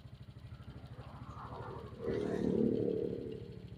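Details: Suzuki Smash that had carburetor stumbling (brebet) on throttle, now after idle adjustment, carb filter not yet fitted. Even idle pulses, then a clean rev rising and falling without stumbling or popping. Normal idle and revving.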